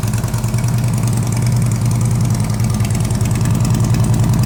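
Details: 2010 Harley-Davidson Ultra Classic, twin cam 96 cubic inch V-twin, 6-speed, 13,655 miles, in neutral: starts and settles into a lumpy, even idle with steady low thump, no knocks or ticks; normal idle.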